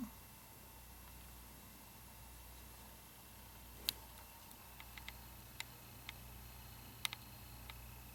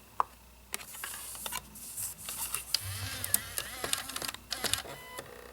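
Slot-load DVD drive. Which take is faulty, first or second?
second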